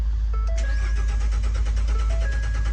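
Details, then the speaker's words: 2014 Ford F-150 that ran fine the night before; starter turns the engine steadily for three seconds but it never fires, no codes stored, no fuel reaching the engine; crank-no-start from a blown fuel pump fuse. "the car not working so I plugged my computer to the car not showing me any codes and start to do a couple diagonals on the vehicle eventually we found out the car has no fuel"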